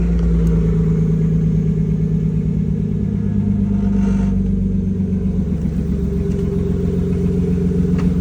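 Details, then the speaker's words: BMW E36 with exhaust, running after EWS crank/no-start troubleshooting and main relay and fuel pump relay replacement: loud steady low rumble with an uneven clatter at about four per second. Source unknown; unidentified engine noise. "I don't know what the noise is. It's motor stuff. It's just running."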